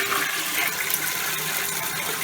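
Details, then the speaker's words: Old American Standard toilet that also drips: a short feeble gush with no strong siphon pull, bowl only half-flushes unless the handle is held down; weak toilet flush. "well as you can see it barely has enough power to flush urine let alone like a lot of toilet paper"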